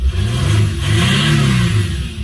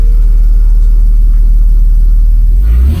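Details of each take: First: 2006 Mercedes CLK 320 3.0 V6 diesel (OM642) after repair for limp mode fault 2513-1: smooth rising drone pulling strongly through the revs, past former 3000 rpm limit, no hesitation or flat spots. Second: 2006 Mercedes CLK 320 3.0 V6 common-rail diesel (OM642), engine light, fault 2513-1 M55 inlet port shut-off motor position signal: revs climb quickly then cut at the same ceiling around 3000 rpm; limp mode rev limit.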